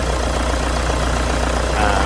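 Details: Toyota Vigo diesel after an engine rebuild. A forgotten oil refill after an oil change melted and seized the bearings; the parts were replaced. Warm after running all day: steady, even, smooth idle with no knocks or ticks, healthy and settled.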